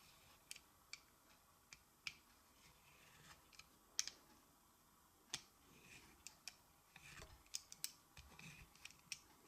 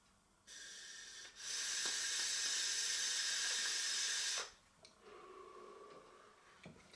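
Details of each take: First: Kanger Nebox vape: irregular dry ticks and scrapes as the battery door is screwed on; its poor threads grind, fail to catch and seem to strip. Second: Kanger Nebox vape mod with stainless steel coil, fired at 450°F: soft steady hiss for about three seconds while the button is held, then stops; coil fires cleanly and evenly, though flavor is only decent.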